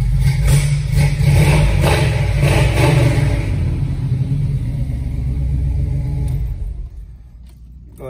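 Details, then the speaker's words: 1969 Camaro V8 with Holley double-pumper carb and headers, heard from inside while revved a couple times: heavy smooth low rumble rising with each blip and settling evenly, no miss or rattle; normal. "gives this thing a fire let you hear it run a couple pumps so a couple revs from inside again"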